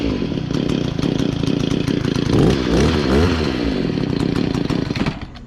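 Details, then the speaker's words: Echo SRM-266 two-stroke trimmer, after replacing the fuel hoses and breather filter top: it buzzes and surges with the throttle, then sags and stalls at idle because the idle speed is set too low. The idle screw needs turning right to raise it. "I might need to adjust this right here. I might need to boost it up just a little bit so it won't be shutting off all the time."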